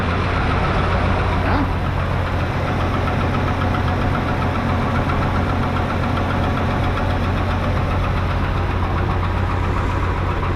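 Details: 1971 Chevy C10 just brought back to running: a loose, irregular knocking at about three to four a second over a heavy idle rumble; an unidentified knock that doesn't sound like a lifter or rod knock.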